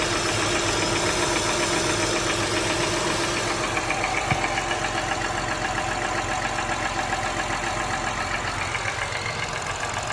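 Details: 2004 Acura TL started completely cold, idling: quick regular light tapping about three to four times a second, growing louder after 30 seconds, heard most at front and back of the cylinder head; owner wonders about valve adjustment, cause uncertain.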